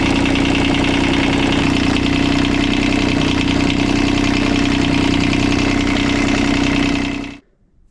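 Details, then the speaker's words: Kubota D905 diesel driving a welder generator, running at steady idle after radiator fill: faint, fairly regular metallic knock about 3.5 per second, owner suspects engine-to-generator coupling; metallic knock. "it sounds like there is some sort of like a knocking or something metallic and it sounds like it's coming from the coupling between the engine and the generator"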